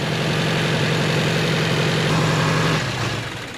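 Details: 2018 Subaru Crosstrek after junkyard engine swap: uneven, lumpy idle with a wavering low hum that dips and falters; a half-plugged knock sensor set a knock sensor fault.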